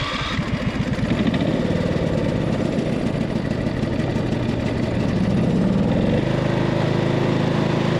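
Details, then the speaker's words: Cub Cadet RZT 50-inch zero-turn mower, twin-cylinder engine that clunked before quitting, one spark plug boot pulled: low, uneven thumping idle around four beats per second running on one cylinder, sounding about the same; bad cylinder not yet identified. "okay so it ran on that cylinder this cylinder over here just fine without this one it sounded about the same"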